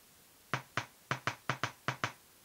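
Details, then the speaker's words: 8-ohm speaker reading 6.9 ohms, tested with a 9 V battery across terminals: eight crisp separate clicks as the cone moves out each time; normal speaker cone click, driver good. "hear both that noise and we can see that the cone is is moving out whenever we put a little bit of power into it"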